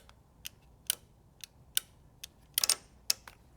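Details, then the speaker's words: EVAP purge valve energized with power on one terminal and ground on the other; crisp single clicks, about eight in four seconds, as each activation switches the solenoid; electrical side working properly. "And I'm activating it. And you can feel it clicking. You can hear it clicking."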